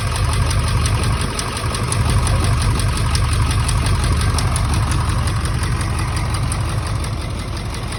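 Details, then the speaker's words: 1999 Ford F-350 7.3 Powerstroke diesel at idle: heavy clatter with uneven, stumbling beat from a cylinder misfire; injector troubleshooting found one injector not getting oil, cause not yet confirmed. "Okay, so obviously it ain't running that great still."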